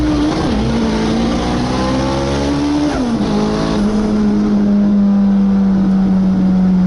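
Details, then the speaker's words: K24 AWD Honda Civic at full load on the drag strip: note stumbles and wavers in pitch with uneven roughness, like it's down a cylinder; hard misfire, cause not confirmed. "all right so I uh I lost that one car started misfiring really really bad it feels like it's down a cylinder or [Music] something doesn't sound good it's like misfiring big time"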